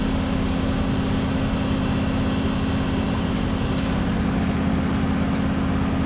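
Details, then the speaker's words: 1967 Ford Galaxie 500 289 V8 at first start for break-in: even, steady, smooth idle with no misses or ticks, despite a small water leak and smoke thought to be power steering fluid burning off the exhaust manifold; normal idle. "Okay, so Let me start it back up. So as you can hear, it runs real smooth."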